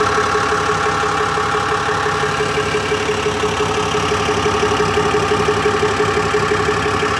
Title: 2018 Ram 5500 6.7l ticking / knocking sound, two weeks after I replaced the engine.